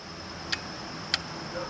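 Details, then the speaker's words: Charger relay gives two sharp clicks about half a second apart over quiet room hiss while charging the HammerHead 250cc go-kart battery, partly charged to 25–50%, before trying to turn it over; normal charging click. "probably hear that little click that means it's charging"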